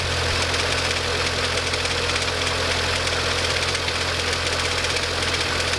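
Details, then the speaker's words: MINI Cooper petrol engine started after refitting fuel rail cover: idle with busy fast metallic clatter, owner attributes it to the timing chain slapping, repair still pending. "I'm now going to start the engine just to hear that timing chain slap around as a reminder that I need to mend this Mini pretty soon."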